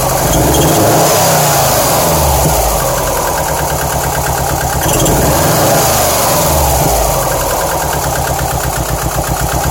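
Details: 2007 Subaru STI with misfire codes on cylinders 1 and 3, bogging under acceleration, loud lifter knock at low rpm and belt trouble. Uneven, lumpy idle that stumbles and hunts, with loud engine clatter throughout, so it is rough and misfiring.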